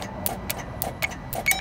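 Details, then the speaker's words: 2004 Sterling truck with a Mercedes MB 900 diesel; the solenoid gets 12 V at the key but the engine won't crank, solenoid suspected bad: sharp dry starter clicks about four a second with no cranking; a breaker tripped. "could hear the starter clicking it just tripped a breaker"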